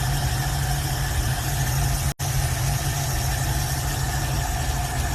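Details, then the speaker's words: V8 in a hot rod being set up, with headers and a worn accelerator cable needing replacement, choke being adjusted: even, deep, steady idle with no misses or knocks; normal idle. "This thing's purring. Let's just with the fucking choke right now, adjust it a little bit."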